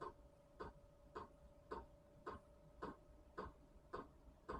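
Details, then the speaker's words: Chinese diesel heater on its first start, pump set near 5 Hz: soft, even ticks just under two per second as the fuel pump likely primes the fuel lines; normal. "oh there it is okay you hear that ticking as a truck driver I'm well used to that ticking so because this is the first time it's probably priming the fuel lines right"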